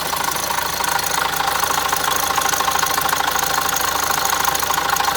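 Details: Opel Zafira Tourer 1.6 CDTI diesel at start-up: a steady clattering rattle at about three beats a second over a busy idle. It began occasionally two months ago and now occurs at every start. Owner suspects the timing chain; cause unclear.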